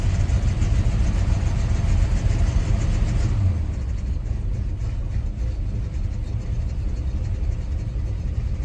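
A cold engine idles with a deep, uneven lumpy beat that won't settle into a steady rhythm, so it's running rough on cold start.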